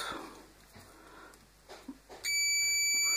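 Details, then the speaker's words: Odwerk 180mm angle grinder that won't switch on, unplugged, cord continuity test; one steady high-pitched beep about a second on quiet bench; cord wires intact, fault later traced to power switch. "Таким образом, электричество движется по кабелю , напряжение проходит по шнуру. Кабель в порядке."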